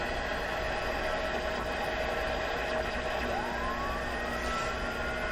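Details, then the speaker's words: Sony ICF-6500W multiband radio under restoration, dirty switches suspected, tuned near 12.4 at night: steady hiss carrying thin whistling tones, one gliding upward in pitch; a heterodyne beat-note whistle, likely with the BFO switched on. "sounds like the bfo is on"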